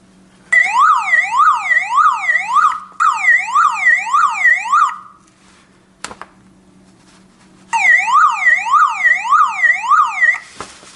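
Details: Car alarm siren sounding as soon as the black cable is reconnected: a loud, rising-falling wail in repeated bursts with short gaps.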